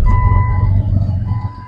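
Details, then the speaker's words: Long-parked project Jeep started right after sitting; deep, loud raw unmuffled rumble just after cold start, clears up and runs okay; loud exhaust, needs exhaust work. "and started right up not bad still sounds like crap definitely need some exhaust work"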